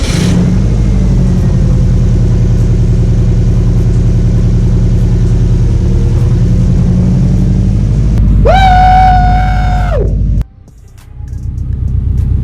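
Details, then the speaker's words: Car after camshaft sensor install, first start smooth on first kick though a second attempt, some rattling heard initially: steady, even rumble with regular beat and no stumbles or misses for about ten seconds; normal idle. "The first start, as you heard earlier on, was smooth. First kick, no issues."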